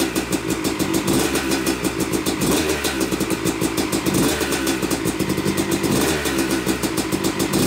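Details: Yamaha YZ250 two-stroke motocross bike (250cc/270cc), first start after a full bottom-end, transmission, clutch and power valve rebuild; took a few kicks, heavy smoke from assembly oils, both normal; sharp crackly bark picking up cleanly on blips; running healthy.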